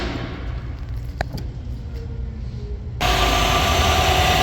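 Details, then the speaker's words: 2019 Chevy Silverado 5.3L/6.2L V8 after replacing the stretch serpentine belt to cure a noise on acceleration: after a quiet stretch the engine fires and settles into a smooth, even idle with no squeal or chirp. The noise is gone. "Now it's all gone. Let's see your engine's running. Perfect. No more noise."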